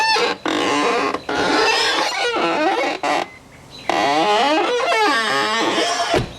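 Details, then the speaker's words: 2002 BMW E46 330xi door: loud groaning creak sliding up and down in pitch as the door swings, repeated in bursts; owner blames the worn door check strap (door stop), which is being replaced. "so I did myself a little bit of research and I think the culprit is actually the door stop little thing that um adjusts you know it opens to like one position and stops two positions"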